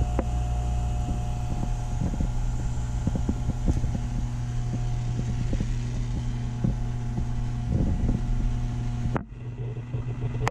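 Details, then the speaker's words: Snowmelt heating system with Taco pumps, tested before startup. Constant low hum under irregular soft swishes and gurgles; the owner judges this normal water flow through the heaters. "see i think a lot of the water movement that i'm hearing is it moving through the heaters which is normal i mean there's a lot of stuff going on in there"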